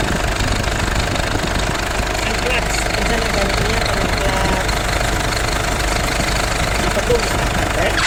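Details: Idling engine gets noisy when the air conditioning is switched on: uneven rattling knock about three to four a second over a steady drone under A/C load. Cause unclear.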